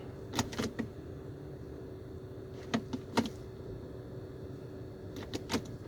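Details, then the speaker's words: 2008 Dodge Avenger SXT, about 165,355 miles, rebuilt salvage title, warm after 5–10 minutes driving; only light lever clicks over a quiet idle shifting park to reverse, no clunk or bang: normal transmission shift. "so there's no issues there's no clunks or anything when it shifts when you're shifting it with the with the shift knob"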